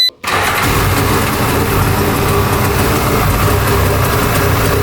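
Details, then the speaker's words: 1995 Tigershark jet ski, not run in 20 years, started out of the water after a mouse nest blew out of the exhaust; brief crank, then it settles into a steady, even idle with no gas squirted in the carb. Healthy start. "Don't want to run it too long, but as you can see, it's idling on its own and fires up without gas on the carb."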